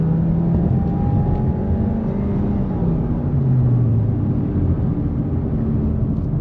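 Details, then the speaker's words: Subaru Impreza at about 101,307 miles on its first hard take-off onto the freeway: smooth, even engine pull rising steadily in pitch under hard acceleration, with no knocks or rattles; the engine sounds healthy. "Sounds pretty good. That's basically the first time I ever really tried to take off in it. Feels good, sounds healthy."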